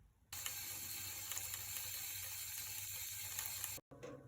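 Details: UDIRC UDI908 RC boat with a super-glued cooling hose: constant hissing trickle like a fast drip as water leaks from the cooling hose nipple, not the hatch, flooding the hull after saltwater running.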